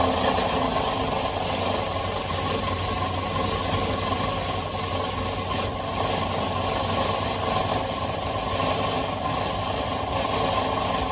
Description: Hearing a constant rattle at the elevated rpms... thought I might have heard some intermittent knocking too at times.